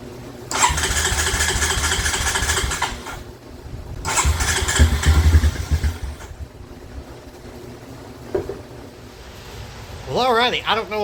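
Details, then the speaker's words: 2007 Honda Recon ATV left abandoned in a field: two long cranking bursts briefly try to catch, then die back to silence. It won't start because the carburetor is seized solid. "She's trying to run, but that carburetor is just locked up about as tight as Fort Knox."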